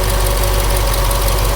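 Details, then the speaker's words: 1966 Ford Galaxie 7 Litre with a 428 donor engine, still breaking in after frequent overheating; it has some blow-by and no PCV. Steady V8 idle with a light, quick ticking over the rumble, possibly valvetrain or an exhaust leak (unconfirmed). "this is what it looks like you can hear it making noise over here it sounds like a little bit of valve train maybe a little bit of an exhaust"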